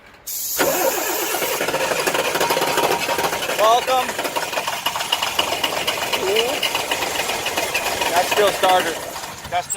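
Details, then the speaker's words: International DT530 crane truck: engine catches on brake parts cleaner sprayed on top of engine, runs ragged a few seconds then falters and dies; never stays running, cause not found. "then we just spray it on then it gets it going but it never stays running right so you gotta do this a few times"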